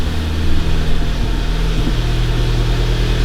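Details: 2011 VW GTI Mk6 started after siphoning out old gas and refilling. The pump primed, and the engine had been misfiring badly with the check engine light on from the bad gas. Now a smooth, even hum with no misses: a normal, clean idle.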